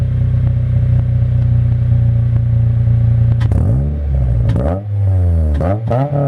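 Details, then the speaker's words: Acura RSX Type S with a new Spec D stainless full catback exhaust: deep, even drone with clean rev blips from low rpm up to 5,000 rpm, VTEC not reached; no puffing or ticking leaks. "So that was like low RPMs, and then the highest I went there was 5K. I did not hit VTEC."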